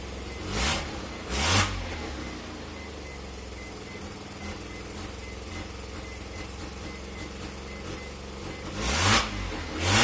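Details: NA Mazda RX-7 rotary idling roughly with an uneven misfiring pulse from a minor vacuum leak at the lower intake manifold, made by an unsealed ACV block-off plate; the car stalls once it reaches operating temperature.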